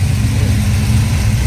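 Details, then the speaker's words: Carbureted engine with a 236/242 @ .050 cam on 112 lobe separation, after the idle circuit passages were drilled and the mixture screws tuned to cure an erratic idle: deep, lumpy, steady beat that never stumbles or hunts, runs smooth. "it's got a nice idle to it but it's not jumping all over the place it's not acting stupid and idle smooth the engine runs smooth"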